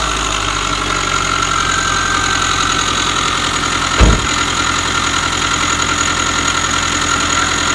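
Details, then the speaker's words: 2005 Subaru Forester with a previous timing belt change done incorrectly: a constant thin whir and high whine over the idle, with one thump, located inside the timing belt cover; timing belt tensioner or idler pulley suspected. "And there it is. It's inside the timing belt cover. So, what they tell you, the timing belt tensioner or an idler pulley or something inside of there is making all this noise."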